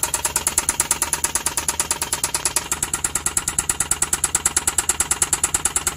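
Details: Suzuki K6A engine idling: sharp rapid evenly spaced metallic knock, from a broken piston and damaged cylinder liner.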